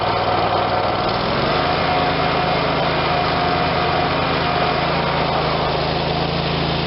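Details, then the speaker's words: Dixon 5022 zero-turn, Kohler Command 22hp engine, new electric PTO: steady, even drone settling slightly lower and fuller as the blades engage, no knocks or squeals; running healthy under PTO load. "Alright, I'm going to fire it up. Try the PTO out, make sure everything's good, give it a couple cycles on and off, make sure we don't have any unusual noises."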